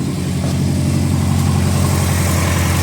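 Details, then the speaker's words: Prodrive Subaru Impreza STi mild build, first start after mechanical upgrades, running slightly rich and unmapped: deep, steady flat-four burble at idle, smooth and even with no ticking or knocking; quieter than expected, no leaks. "yeah we're good we're very very very very good and it's actually a lot quieter than what I thought it would be"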